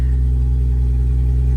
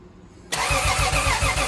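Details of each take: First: Lexus IS300 with budget turbo 2JZ, first start after rebuild following a blown engine: low, even rumble with a steady beat, no knocks, ticks or misses, oil pressure light off; smooth normal idle. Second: Lexus IS300 turbo 2JZ engine, after being blown, first start attempt after finishing wiring: steady cranking about three and a half turns per second, never fires; crank no start, spark still to be checked.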